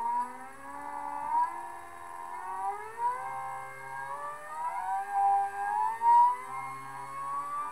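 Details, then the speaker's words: Large NEMA 34 stepper driven by Arduino, 24V supply and ST-M5045 microstepping driver, with weighted plate on shaft: whine climbs in pitch then falls back and restarts, stalling under load; can't reach full speed it reached unloaded. "huh having a hard time I was able to get this uh offline here to full speed without much problem"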